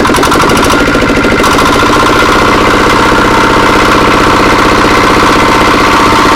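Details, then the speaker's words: Diesel R180 single-cylinder engine, after piston ring installation for complaints of low power and oil consumption, started after refilling oil; steady even thump under throttle, no knocks or misses, running clean. "Baik sahabat, ini akan kita coba ya, kita hidupkan setelah tadi dikasih oli. Oke, kita coba, kita gas dulu sahabat."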